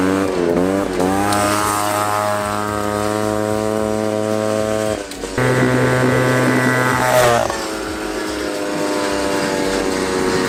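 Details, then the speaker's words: 1979 Honda Odyssey FL250 two-stroke after full restoration with newly machined cylinder and DG expansion pipe, choke flipped: crisp wail climbing cleanly through the revs, dropping on the shift and pulling again evenly; normal running under load. "Flip the choke. Sounds sick. Dang, guys. That DG pipe sounds good."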